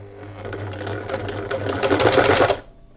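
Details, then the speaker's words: Sewing machine motor hums low and strains on starting, dragging before stitching picks up speed, when the presser foot is lowered with thread still clamped between the tension regulator discs; starts easily once the thread is pulled with the discs loosened. "теперь опускаем лапку и машину у нас даже без помощи руки будет стартовать легко Всё просто вот еще раз продемонстрирую вот абы какое положение было опустили лапку начинаем шить двигатель тяжело"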